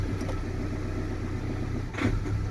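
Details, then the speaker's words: Ford Transit Connect diesel on a cold start: the idle hunts, surging and dipping about every second, with the glow plug light flashing. Air in the injector lines is starving it; it runs fine once warm. "do you hear that the hunting in and we got a flashy glowpro light okay"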